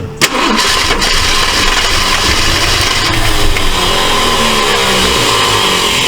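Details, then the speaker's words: Abandoned 1968 Ford LTD on its first start: it cranks and catches, then runs ragged with sharp pops coughing back through the carburetor and some ticking. The finding is intake backfire; a stuck valve or bent pushrod is suspected. "it's popping back pretty good sounds like it might have a uh a stuck valve I don't want to run it too much um way it's ticking either that or it's got a bent push rod"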